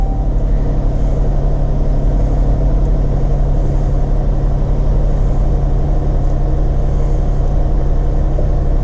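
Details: Jeep Grand Cherokee WK2, about 68,165 miles, first start after new spark plugs, PCV valve and plenum gasket, hood up, engine cover off: smooth, even low rumble with steady pulses, no misses, ticks or hiss; normal idle, no codes.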